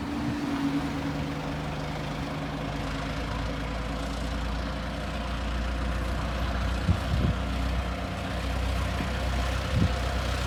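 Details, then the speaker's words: Restored 1921 American LaFrance fire engine rolling along the street: a deep, even low rumble holding steady, an old four-cylinder running smoothly with no knocks or misses; fine restoration, normal running. "And you can tell that Rick's done a yeoman's job on this. Fine restoration, beautiful running truck."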